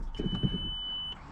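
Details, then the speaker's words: VW Bora first start after power steering line install, fluid bleeding and new battery: a single steady high-pitched beep of about a second at start-up over the idle, an airbag fault warning. "airbag fault we need to fix that car"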